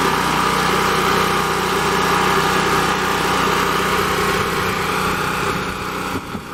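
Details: Champion 3500-watt portable generator with a 196cc engine, restarted with choke after sitting a while, running normally: a steady, even buzzing drone with no misses or knocks, holding speed throughout.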